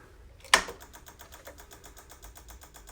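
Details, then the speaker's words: Harley-Davidson on a battery tender after the battery went completely dead: one click then rapid chatter from the P&A relay with an accessory VIN error; low battery voltage, bad battery found as the cause. "yep doesn't sound right so there's an accessory VI n e RR error what I'm gonna do is the clicking noise that we're getting is right in there there is a was a PNA relay and it's clicking"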